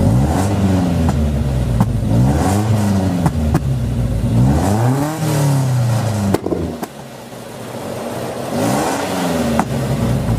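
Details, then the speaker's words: Nissan 240SX with KA engine and headers, before repair: revs up and down with a raspy, tinny, buzzy Honda-like exhaust note from a large leak where the cat bolts to the headers/mid pipe; Felpro gaskets to replace. "Sounds like a Honda, and it sounds completely horrible because of the huge exhaust leak, but I'm just mainly doing it for, before and after."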